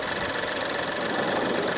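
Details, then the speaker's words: 2017 Ford Escape after clearing a P0304 misfire by replacing the cylinder 4 ignition coil and all spark plugs: steady idle with a light, fast, even ticking over the engine hum; the tick is a separate issue left undiagnosed. "so there's still a ticking sounds for this but we're not G to diagnose that that's a different issue"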